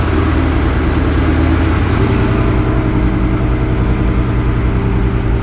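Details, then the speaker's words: Rebuilt Ford Coyote V8, first start after a spun rod bearing, with new timing chains and no coolant yet: a steady, even V8 burble holding a smooth idle with no misses or ticking. Oil pressure about 80 psi; engine sounds healthy. "got about 80 lb oil pressure o she sounds good wasn't missing or anything"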